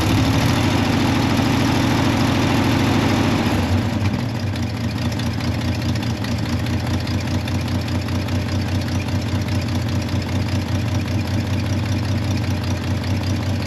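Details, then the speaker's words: C30 truck engine just fired up, with an existing exhaust manifold leak: a low, lumpy idle with a steady puffing tick running through it. Exhaust leak. "all right let's play off CU she's running you still got the leak there for the exhaust can't work too much out"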